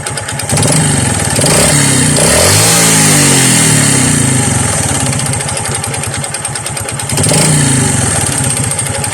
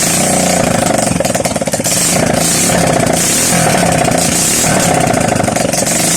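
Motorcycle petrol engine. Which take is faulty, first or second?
first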